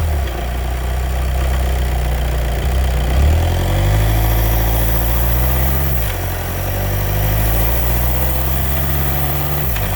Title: DSG DQ250 clutch noise problem